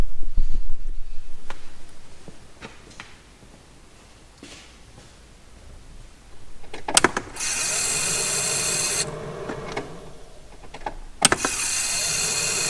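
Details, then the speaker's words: BMW E46 328i turbo, key-on after refitting AEM 340 L/h fuel pump and new 3.5 bar regulator (previous Quantum pump failed to pressurize rail): steady even pump hum builds then holds, sound very different than before; rail now pressurized, normal prime. "J'ai remis tout ça en place et je peux te dire que le bruit n'est pas du tout le même. Je pense que ça sent bon pour la suite."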